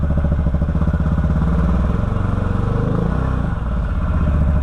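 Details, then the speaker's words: 2013 Can-Am Maverick 1000R sport UTV, 1000cc, with check engine light on, test ride in high gear: the engine drones with a pulsing beat that wavers and sags under load; the CVT clutch is struggling and the belt seems to be slipping badly (suspected, not confirmed). "That clutch does not seem happy. Put it back in low. Let's try in reverse. Yeah. Let's try high gear again. Yeah, that that belt's definitely slipping bad."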